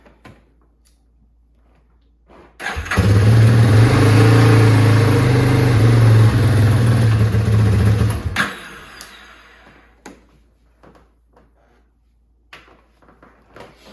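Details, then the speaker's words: 2001 Yamaha Warrior 350 single, cold start at 8 degrees outside, after cleaning a stuck float needle ultrasonically: fires right up and settles into a steady, even low thump; idle still needs adjustment. "So our float needle was stuck, and we took it out. We put it in the ultrasonic. We got that bad boy cleaned up, ready to go. It did fire right up."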